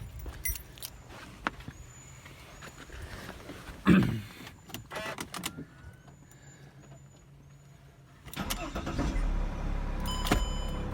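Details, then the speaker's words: Mercedes E320 CDI after ECU replacement for a no-crank no-start with ESP error (switched-ground wire jumper previously needed): clicks, then brief crank and catches into a steady run; normal start. "anyways the car starts fine"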